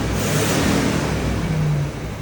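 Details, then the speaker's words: 1978 Chevy Corvette, last on road 2012, first minutes running, 50 psi oil pressure: deep loud lumpy idle, uneven pulse, no metallic tapping; misfire suspected from one or two plugs or spark plug wire. "I do hear a misfire. One of the plugs, maybe a couple, or a spark plug wire might be faulting and creating a imbalance in the motor."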